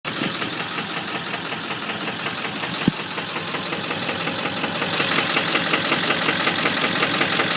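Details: 7.3 engine with a sharp, even tick-knock at about two to three per second standing out over the idle; internal engine knock.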